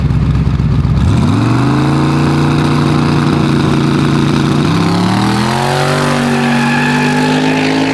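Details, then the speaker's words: Boosted drag car launching on street test hits: engine note stutters low and hangs flat a few seconds before climbing, slow to come up on boost, barely does a burnout; bog off launch, owner suspects launch rpm needs raising. "Sound like it was just kind of stuttering down low a little bit. Yeah, it sounds like it doesn't want to come up on boost."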